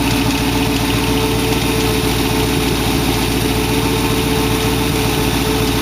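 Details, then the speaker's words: Dual-quad V8 in a 1914 vehicle build with direct linkage; idle still slightly fast and not run in a long time. Loud, even rumble with a steady lope and no misses or knocks. It smokes at startup, which the owner suspects is an oil seal. Normal idle. "Pretty sure that's the oil seal, but at least it's starting up good and idling good."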